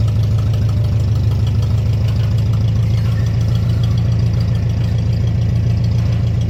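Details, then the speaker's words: Tractor, the 504, idling with a loud, raw, unmuffled low thump at about 140 beats per minute. The muffler was busted off, with the tube broken off the manifold, while pulling another tractor through a shed. "the muffler got busted completely off. The tube broke off the manifold and everything, so this thing's loud now."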